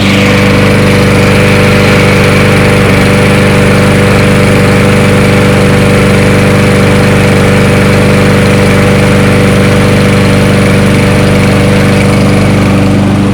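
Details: Toro 22-inch Recycler mower burning off excess oil; single-cylinder putters at an even idle, steady beat without surging or dying; holding idle fine.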